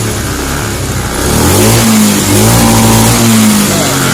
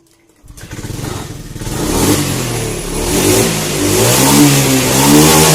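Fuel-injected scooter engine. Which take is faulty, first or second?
first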